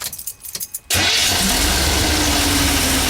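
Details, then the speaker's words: Chevy work van with Edelbrock carburetor, after cleaning sediment and lowering floats set too high (rich condition), not yet warm: engine catches instantly and settles into an even, steady idle, running much better. "Running a whole lot better. Whole lot better."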